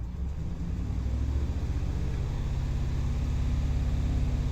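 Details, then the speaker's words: Hemi 5.7 V8 under light throttle: uneven, stumbling pulse as cylinder 6 starts counting misfires, which stops when throttle is released; idle improved after the cylinder was reactivated. "Ve el seis. empieza a contar miss. Lo suelto y para la cuenta."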